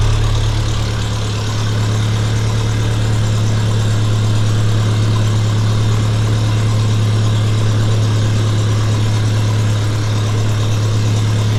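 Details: 1952 Massey Ferguson TEA20 tractor after full restoration and engine rebuild, with 12V alternator, new battery, distributor cap, coil and hoses: smooth, even low drone at constant idle, no knocks or misses; normal healthy idle.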